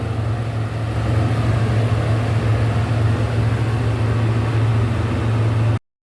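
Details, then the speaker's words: Thai suction fan that spun intermittently and slowly, after replacing the capacitor (original 1 µF unavailable, 1.5 µF fitted): steady low hum and even airflow with no hesitation; fan now runs strongly and normally, fault was the capacitor. "ครับตนี้ก็ทำงานได้ปกติแล้วนะครับเสร็จเรียบร้อยแล้วครับ"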